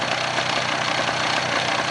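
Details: Polaris 400 two-stroke ATV revived from parts, running while oil injection line is bled at the check valve: brief, even idle with steady buzzy beat and no stumbling; normal idle, oil pump working.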